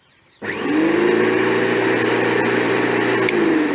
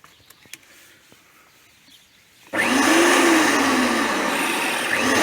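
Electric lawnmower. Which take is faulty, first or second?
second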